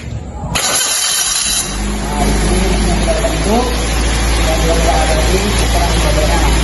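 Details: Fuel-injected engine on a training engine stand after clearing codes: short crank catches quickly, settles into steady even idle, no stumble or misfire; MAP reads 27.2 kPa, intake air 40 °C; normal start and idle.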